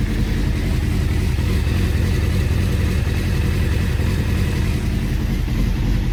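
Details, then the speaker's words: Honda CBR600F3 carbureted, started on choke then choke off, not fully warm, idle set near 1200 rpm spec after jet cleaning: uneven lumpy loping idle over low exhaust drone; rough idle, owner suspects carburettor synchronisation needed. "really so as you can see there's still a bit of a lumpy Idol"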